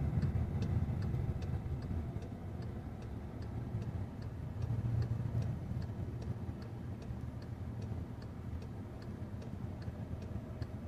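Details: 2014 Jetta 1.8T with a freshly rebuilt engine on break-in miles, no check engine light: steady low engine drone under way with light, even injector-like ticking on top; normal smooth running.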